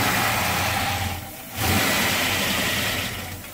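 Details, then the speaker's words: 2005 Chrysler 300C with freshly installed rebuilt 5.7L Hemi, first start: catches and revs briefly, sags, surges once, then fades and stalls; owner suspects mass air flow sensor or throttle body not connected or communicating properly; revving then stalling. "oh it's I know what it is what it's the mass air flow sensor screwed up why that's what it does when the MF or the throttle body is on"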